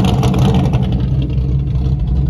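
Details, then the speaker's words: Race Corvette idling in line before list racing: loud, lumpy, deep idle with a choppy uneven beat; owner says it sounds good, strong and healthy. "Look at this vet. Listen to this thing talk to me. That thing's sounding good."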